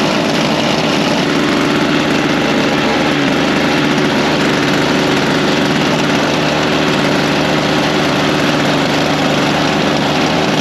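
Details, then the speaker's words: Toro Power Lite snowblower, about 25 years old and little used for years, idling steadily after its dry-rotted primer bulb was replaced; a fast, even single-cylinder buzz with no misses or surging. Back in service, normal idle. "well I'd say uh she's back in service that was easy just had to get the part"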